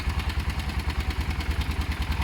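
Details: Motorcycle project idling after work: even, steady single-cylinder thump at about eight beats a second, no misses or knocks. Left to idle a few minutes; owner says it sounds great.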